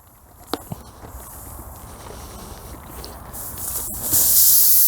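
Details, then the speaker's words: BMW Z3 tire with a machine bolt near the shoulder, pried out with diagonal side cutters: a few metal clicks, then a rising steady hiss of air escaping from the puncture. "Kind of maneuver it up underneath, and you can hear the air leaking out."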